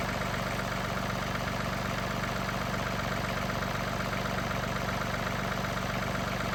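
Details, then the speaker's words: 2021 John Deere 2038R diesel tractor after tightening the leaking injector fuel line, run about five minutes: steady, even, smooth idle with no misses or knocks, no leak seen; healthy. "I had it running for maybe 5 minutes and so far so good I don't see anything leaking"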